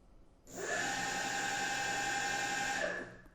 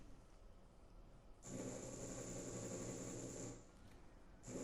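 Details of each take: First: DIY electric bicycle hub motor with Hall sensors on a VESC controller, re-run detection after raising current to 10 A: clean even whine spinning up, holding steady, winding down smoothly; healthy motor. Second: DIY hub-motor e-bike with VESC and Hall sensors, during flux linkage detection: rough buzzing whine surges about two seconds, drops, restarts; motor stutters because detection current too low, raised to 10 A.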